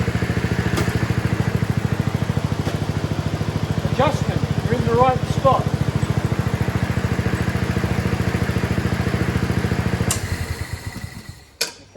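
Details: Self-propelled single-cylinder walk-behind mower after an oil change and a new drive spring, started with choke: steady, even putter with no surging or stumbling as the drive engages and releases; drive adjuster set right.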